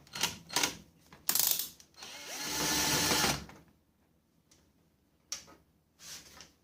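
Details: HP LaserJet M5035 printer giving rough grinding and rumbling bursts from worn drive gears; fix is replacing two gears in the drive assembly (RM1-2963-000CN, gears plus motor).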